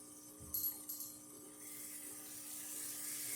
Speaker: So now you can hear the pump kick on, and it should turn off in a minute or so.